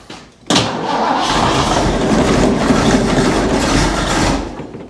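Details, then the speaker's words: 1975 Bricklin SV-1, Ford engine, low mileage, long stored unheated and possibly with frozen water in the block, first start after ignition work. Cranks, catches and runs ragged with an uneven, hissy beat and a miss; owner suspects a bad vacuum leak or timing. "Ooh, she's got a little bit of a miss and whatnot, but she does something."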